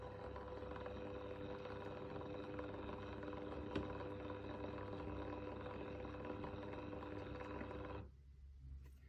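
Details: PSR-E-C actuator being commissioned with a PSAP.3, driving from the middle position (about 5.2 V feedback) to closed: steady motor hum and whine, stopping cleanly at about eight seconds; normal actuator motor run.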